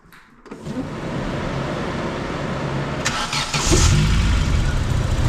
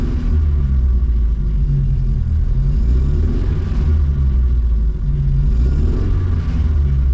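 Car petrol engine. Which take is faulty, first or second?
second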